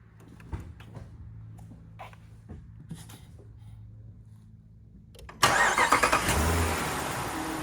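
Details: 2019 Jeep Grand Cherokee Limited, 5.7L Hemi V8, 47k miles, engine bay: after seconds of quiet it cranks and catches cleanly, brief blip, settles into even idle; normal start and rev.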